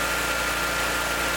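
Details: Ferris zero-turn mower small engine, started on choke after fuel filter/hose clamp work to check for leaks: steady even hum, no surging or stumbling; normal idle, fuel leak fixed.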